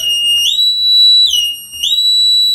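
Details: 1986 Opel Manta Berlinetta under rebuild, battery connected, engine won't crank: loud high two-tone siren rising and falling about every 1.5 seconds, no engine sound; car alarm/engine immobilizer sounding.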